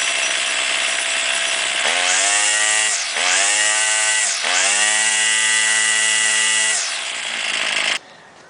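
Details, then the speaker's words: Warmed-up two-cycle string trimmer, line out at cut length for load, high-pitched scream sagging and recovering as the low-side mixture screw is turned clockwise then counterclockwise: bogging at lean and rich limits, set in the middle at highest smoothest rpm. "you want to do the low side first and when it's warmed up you start it let it idle and turn it clockwise until it starts bogging down a little bit and then turn it counterclockwise until it starts bogging down a little bit and then you want to set it in the middle where it's running at the highest and smoothest rpms"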